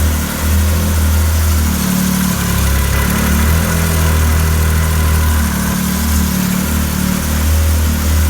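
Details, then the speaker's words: Arctic Cat 7000 snowmobile, Yamaha 1049cc triple, about 12,000 miles, after a valve adjustment: it used to stall seconds after a cold start, but now holds an even, smooth idle at 1500 RPM without stumbling; normal idle. "It's idling at 1500 RPM, right where it should be. Actually, the motor even has a different sound."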